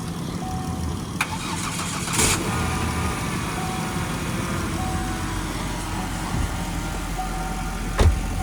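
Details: Car at −12 °C that would not start in winter, boosted with jumper cables: fires after a short crank and settles into a steady, even idle with a low hum underneath; it starts and runs normally.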